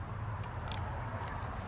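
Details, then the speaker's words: Suzuki Boulevard that won't start, tested with key on, clutch in and kickstand up. The starter motor itself was shown to work. The switch/relay gives sharp uneven clicks but there is no cranking; the owner wonders if the solenoid is bad. "i get a clicking from this switch right here and i have to press the button there we go"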